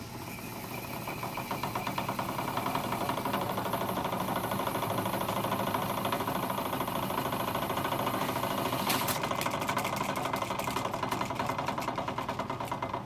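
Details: Sony TC-350 reel-to-reel after freeing the gummed capstan idler wheel arm: steady even mechanical whirr with a light rapid patter, no grinding or catching; fast forward working smoothly.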